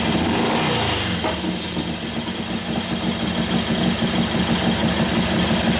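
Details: 1941 Harley-Davidson WLD 45 flathead V-twin, 56ci stroker build, warm, second gear with the brake held hard: lumpy beat fires evenly and revs right through the load without miss or pop; healthy, sounds like it has a cam.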